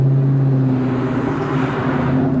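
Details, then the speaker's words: 1997 Ford Mustang SVT Cobra with check engine and battery lights, voltage gauge maxed and a recently fitted cheap reman alternator the owner suspected was a dud: a steady, firm engine drone at a fast idle with no misses. High idle, cause unknown. "you hear the cars have a high idle"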